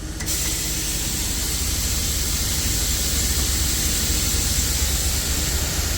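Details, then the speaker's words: Truck-mounted liquid tank (barrel) being unloaded by pressure from a compressor driven off the transfer case; suspension lowered to tilt the tank so product drains toward the outlet: loud steady air-suspension release hiss over low engine rumble, normal. "Для того щоб уклін був більшей продукт ліпше стікав назад до місця де він виходить із самої бочки треба опустити"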